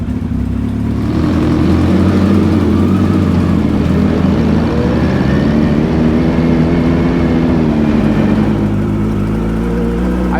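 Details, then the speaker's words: Hayabusa-swapped Can-Am X3 four-cylinder on its test drive after the misfire repair: a strong, steady drone under load with a smooth, even pull and no stumble. It now runs on all four cylinders after long use on three. "still cannot believe we drove this thing for so long on three cylinders."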